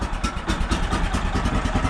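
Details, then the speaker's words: Small petrol engine on sawmill equipment, cold winter start after several days idle, fuel on and choke on: loud, rough, uneven low thumping with irregular pulses; it needs time to warm up. "it needs a bit of time to warm up. That's the reality with all the equipment around here."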